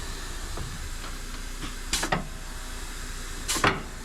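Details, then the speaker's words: Cabover truck (Smokey): sharp hissing bursts about a second and a half apart over a steady low rumble; compressed air escaping from another rubbed-through hose that needs fixing. "Now it sounds like a different hiss. Oh yeah, I got another rub hose to fix."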